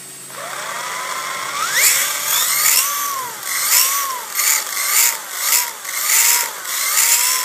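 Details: DRB with a high whine that rises and falls with each throttle blip and has a gritty edge: noisy spur and pinion gear mesh.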